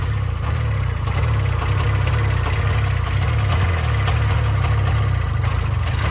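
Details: 1970 Subaru Sambar pickup off the road 40 years, just revived with oil injection working: low, even putter of the small twin at steady idle, no misses or knocks; runs properly though timing is suspected off.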